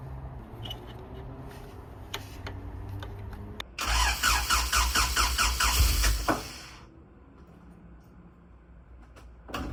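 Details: Honda Civic with a new coolant temp sensor, ignition control module and rotor: a few clicks, then a labored crank of about two and a half seconds that never catches; no start, fixed by a fully charged battery, likely too few cranking amps.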